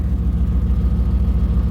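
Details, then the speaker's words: BMW E39 M5 with Dinan S1, 340,000 miles, Dinan mufflers: deep loud V8 idle with rapid raspy puffing pulse; owner suspects an exhaust leak, possibly a rubbed-through exhaust. "it sounds for sure like an exhaust leak there's definitely um something leaking"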